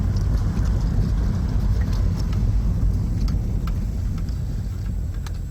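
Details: VW Golf VR6 driving after the drivetrain repair that followed clunking, clanging and loss of drive on a 4th-to-5th shift: a steady low road rumble and engine drone with no clunks or knocks. The noise is gone and it drives normally.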